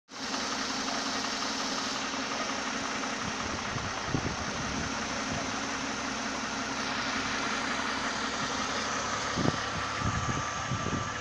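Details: Mercedes OM272 engine at steady idle with an uneven light tapping breaking through now and then; engine knock, source not yet pinned down.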